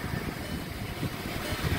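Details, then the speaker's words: 2017 VW Jetta 1.4 TSI with push-button start, idling after a tune-up with new spark plugs and air filter. It had begun running rough before; now a quiet, even idle with a steady murmur and no stumble or miss. Normal idle. "it actually runs really nice wow nice and smooth"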